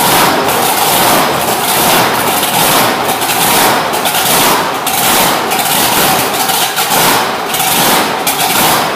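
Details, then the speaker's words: Road Runner with a freshly built V8, fired up on a cold day, timing and idle fuel not yet set: a loud, slightly lumpy idle with a steady pulse; it runs but needs tuning. "so we'll have to wait for a nice day to get it running and tune it a little bit better"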